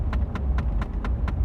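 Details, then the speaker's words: Truck driving to work, after the negative battery was disconnected and headlights changed to white LEDs that weekend: sharp even tick about four times a second over road rumble, seemingly from one side; clicking noise, source unidentified. "now that clicking noise hair is up something in my - it sounds like it's over here or something"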